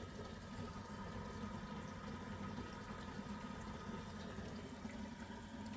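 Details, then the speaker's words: Worcester-Bosch boiler showing ignition fault code 229, panel off, reset and trying to light: steady watery bubbling and gurgling under a low rumble because the condensate trap is clogged and water is backing up into the combustion chamber. "Right, it's making some sort of strange gurgling noises when it's trying to fire it up. Any ideas, guys? If you do, right, pause the film and put it in the comment box for me, please. Now, if you haven't realized what was wrong with it, the condenser was clogged up and the water was building up back into the combustion"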